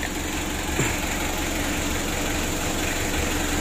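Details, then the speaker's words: Freshly overhauled Mitsubishi L300 diesel (2017) warmed up about fifteen minutes after rebuild, radiator still on plain water: even, steady low diesel clatter at idle, no irregular knocking; runs smoothly warm while being monitored for oil and water seepage. "L300 nya ini sudah kita panasi lebih kurang seperempat jam Nah jadi kita pantau terus"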